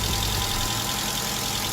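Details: Black 200 with a new battery that would not crank, started once poor battery-terminal connections were bypassed: steady, even idle with no misses, knocks or stumbles; normal running.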